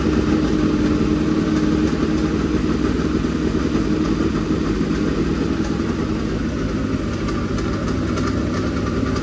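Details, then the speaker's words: Freshly built dirt-track race V8 on first runs, to be broken in at 2,000–2,500 rpm: steady fast-idle burble with even firing, no knocks or ticks, no leaks. Normal running. "got to get it to them just right and we'll let it run for a while she sounds good no leaks that"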